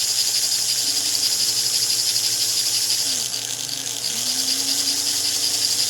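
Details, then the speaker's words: 1949 American Flyer #322 Hudson locomotive motor, after fixing armature bounce and backing off over-tightened screws: a thin, high whirring hum with one brief slowdown and recovery; it runs okay, though the darkened field coil may be scorched. "that is running okay. About the only thing we could do to make it run better than this would be to actually rewrap this field, because you can see it's kind of darkened, which tells me it's gotten too hot, possibly scorched,"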